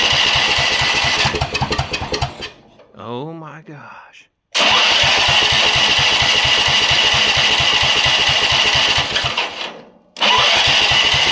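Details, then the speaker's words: Rock-mower small engine with new carburetor, freshly primed, governor and rev limiter removed: runs hard and high, dies away twice before catching, won't hold steady speed; owner suspects the governor-less throttle setup. "gosh so I think part of that has to do with my throttle stuff over here cuz it doesn't have so I took the um revlimiter and all that stuff the governor and all that junk out of this this dude a long time ago so it probably has something to do with that"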